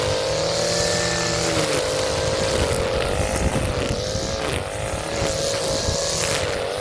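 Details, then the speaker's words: Echo SRM-230 string trimmer, sat non-running for years, after carburetor replacement and new filter gasket, cutting weeds: high steady two-stroke buzz sags slightly and recovers under load, smooth with no misfire; normal running under load. "Back from the dead. You would have never thought this would turn back on as bad as shape it was."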